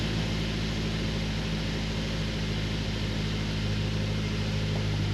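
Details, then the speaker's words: 2005 Mazda 3 at idle, recorded inside the car before motor mount replacement: steady idle with a coarse, extra-buzzy low hum from worn engine mounts; idle itself is steady. "All right, let's start this puppy up and I can show you guys. Hopefully you'll be able to hear and feel the vibration here in the car."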